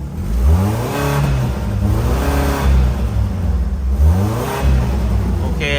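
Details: Tata CNG car with slow acceleration (rpm stuck at 1,200, codes P2103/P2111) after swapping the failed A36B ECU: engine revs up and settles back several times, rising cleanly with no stumble or hesitation.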